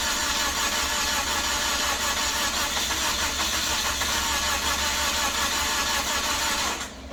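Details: Toyota Corolla, heard from the exhaust: steady starter cranking with uneven sputters for about seven seconds, never catching, then stopping; cranks but won't start, probably flooded since it later ran after sitting.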